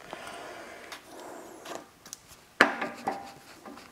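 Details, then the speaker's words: Chevy K10 10-bolt 4x4 front axle, hub spun by hand during a rebuild; soft, even whir with no grinding or roughness, so the wheel bearings sound good. "so foreign so wheel burns sound good on the passenger side check the uh driver set see how that sounds"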